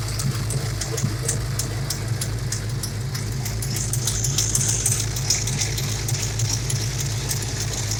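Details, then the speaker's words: 351 Windsor SVO V8 hot rod idling after valve lash adjustment: steady idle with sharp quick ticking puff on the exhaust from a bad driver's side header gasket leak near cylinder 6; passenger collector gasket also leaking. "i do notice that this past the driver's side um header gasket um is bad you know there's a leak probably around six i would say"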